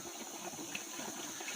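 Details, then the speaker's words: 7 L manual engine-oil fluid extractor after disassembly and reassembly: pumping works, but a steady airy hiss with faint gurgling persists while drawing suction; vacuum leak not yet fixed. "Cuma ada bunyi bocor. Bunyi bocor tu tak hilang lagi."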